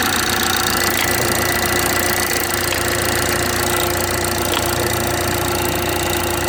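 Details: BMW 430i xDrive, B46/B48 4-cylinder, on a cold start in cold weather: the idle carries a light, uneven tapping over a steady hum with a faint whistle; a weird knocking noise whose source is not identified.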